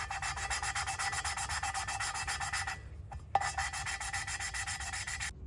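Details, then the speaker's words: Allis-Chalmers B tractor cylinder head off on the bench: inlet valve worked back and forth by hand with fine lapping paste, guide and stem oiled; steady gritty rasp about four strokes a second with a pause and tap; valve lapping. "Get that on the back of the valve there. So again, we're just going to work this back and forth."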